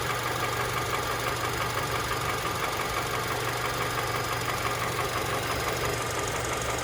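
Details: Honda K24 engine at idle: light, fairly even tapping near three per second over the hum; knock present, cause unknown.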